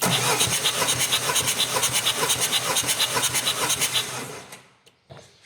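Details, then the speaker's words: Citroen C15 diesel (same as early Berlingo), compression test through injector holes with fuel pump disconnected: steady cranking about two beats a second with even compression pulses; cylinder one about 400 psi, 27 bar; normal. "so this is what I would call cylinder number one but then it's just French I probably call it Sunderland before and that's just about 400 PSI 27 bar"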